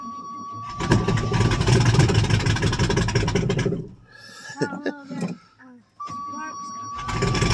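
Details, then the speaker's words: 1985 Chevrolet Suburban plow truck on a cold start in snow after sitting a month and a half, with year-old gas and almost no exhaust system. It catches and runs loud and uneven with a ragged, lumpy beat, as if missing on some cylinders, then cuts out briefly, smoking heavily. "there we go she's loud ain't no exhaust on her other than just put a toaw r underneath the vehicle"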